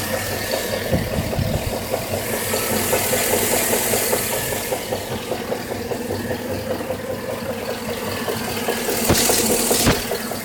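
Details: 2013 GMC SLE 4x4 5.3L V8 at 1,800 miles idling with a steady, fairly even knock, about two to three taps a second, from the passenger side of the engine.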